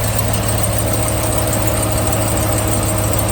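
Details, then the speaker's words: Ram TRX supercharged Hellcat V8 at steady idle, recorded from underneath with the exhaust hot; thin squeak over the deep rumble, the common "Hellcat squeak"; owner suspects the manifold-to-exhaust joint rather than the cast part, unconfirmed. "I don't know, people said it's coming from the cast, but it sounds to me like it's coming from between the manifold and the exhaust."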